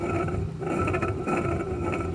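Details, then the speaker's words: Oasis I-5 drive motor removed and rotated by hand: rough gritty grinding with a faint whir from worn motor bearings, confirmed as the motor, not the gearbox. "clearly those bearings are going bad now I pulled these out before they actually die because we can go to Gallagher's and have them rebuilt"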